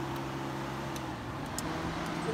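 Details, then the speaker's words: 2001 Subaru Outback with flashing check engine light (codes incl. P0748, P1540, P0500), engine off: steady cooling-fan hum with sharp relay clicks as fans and relays switch on by themselves; cooling fans and relays activating with engine off. "you can see that the fans are turning on by themselves the engine is off and then you can hear your release you can hear that everything is activated by themselves"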